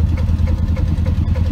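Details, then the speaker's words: 1983 Chevrolet C10 with SBC 350 V8, recorded while driving in rain: rapid light ticking about five per second over the rumble, plus an exhaust leak; owner suspects a burnt valve, bent pushrod or misplaced rocker arm. "i've got something going on in one of the cylinders i've got a um i think it's something in the top end i've got a burnt valve where i've got a uh a bent push rod or a rocker arm that's not in the right spot or something"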